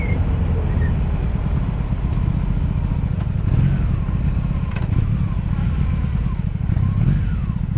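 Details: 2002 Honda Magna VF750C V4 during a rebuild, first warm test ride running non-stop, with no ignition cuts or bucking; jerky transmission noted. A deep, even drone holding steady under way, with no misses or surging. Normal running.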